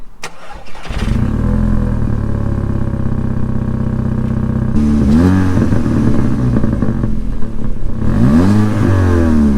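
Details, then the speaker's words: VW Mk5 Golf GTI Edition 30 at cold start: blips where revs rise and sag unevenly, can't hold revs, slightly ticky lumpy running; owner suspects a misfire, unconfirmed, though it otherwise seems to run fine. "So what do you think? Obviously it can't hold revs very well."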